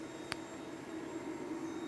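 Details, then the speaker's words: Hybrid off-grid solar inverter running, fed by eight 340 W poly panels in series, around 1 pm: quiet, steady mid-pitched hum with a faint high whine and one brief early click; normal operating noise for this inverter model. "ก็จะมีเสียงนี้นะเสียงโพทีของInverterรุ่นนี้ครับ"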